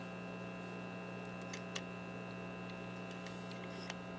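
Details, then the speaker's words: RCA 66X1 multi-band broadcast/shortwave receiver, radio section under repair with 455 kHz signal injected: only steady low mains hum and faint crackles, no station or static; signal path dead. "tuning the radio like I said it's just a on here or anything at all you would think you'd get some kind of static or something but there's nothing"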